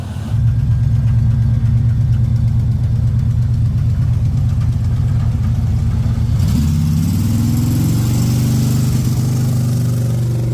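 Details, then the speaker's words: 1956 Chevy with what looks like a small-block V8, driving on the road. Low rumble that stumbles and surges unevenly instead of pulling smoothly; owner suspects the carburetor is out of adjustment. "okay we just left Troy's house and this thing's sputtering quite a bit I think the carburetor is pretty out of whack"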